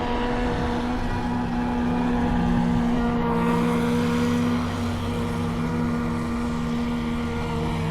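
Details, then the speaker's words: RC boat with Radiolink Cool 9030 ESC, no fans or airflow: steady electric motor whine over water hiss, pitch sagging a little; boat running slow, not up on plane; owner suspects small battery about half drained. "Yeah, it's not up on plane. I think that battery's about half."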